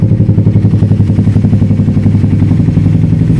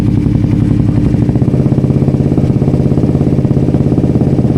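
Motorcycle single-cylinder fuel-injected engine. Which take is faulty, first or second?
second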